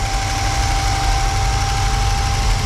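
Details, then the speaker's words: 1979 G10 camper van, rusty, cold-started in deep snow: cold V8 idling low with a deep rumble, reluctant and not fully settled; it started but is unhappy; rough idle. "And guess what? It cold started. It's unhappy about it, but it did it."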